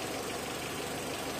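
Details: Renault Clio 1.0 16v with intermittent no-start, idling during oscilloscope check of crank sensor after a terminal was adjusted and cleaned, likely the fault: steady, even idle, no misses, stumbles or surging; normal idle.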